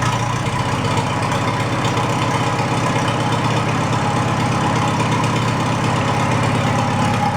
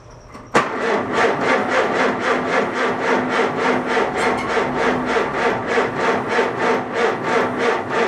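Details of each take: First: Farmall A tractor, newly installed engine, after plugging intake manifold holes; running without coolant or radiator to warm up before valve adjustment: steady, even idle putter at constant pace, no skips or knocks, good oil pressure; healthy. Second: Farmall A tractor, newly installed engine, fuel dripped down the plugs: uneven chuffing about three beats a second for seven seconds, then dies. Rough running from a slight intake leak.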